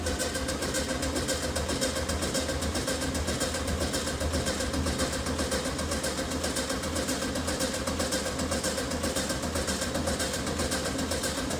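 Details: VW Beetle project after chasing a fuel-supply fault and checking the lines for leaks: steady churning turnover with sputters that never catch. Cranks but won't start, cause not confirmed.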